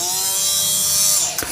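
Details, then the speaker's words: Parkside PFBS 12 C7 cordless rotary tool with a 3.5 mm bit drilling wood at speed 4: a high whine sags in pitch and cuts out as the motor strains; the motor bogs under load, lacking low-speed torque. "On entend bien le moteur forcé."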